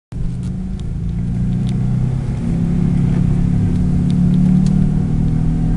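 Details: A droning noise while driving, a steady drone over road rumble that swells slightly with speed. The owner suspects a bad wheel bearing or something else; the cause is not confirmed.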